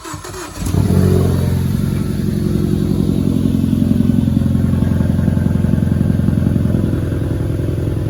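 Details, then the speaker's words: Mk3 Ford Focus ST starts and idles with a lumpy, uneven low thump that stumbles every few beats; it began sputtering suddenly while running fine, and cylinder 4 is dead, with the engine considered blown. "The ST was running fine, and then all of a sudden it started sputtering, and cylinder 4 has left the chat."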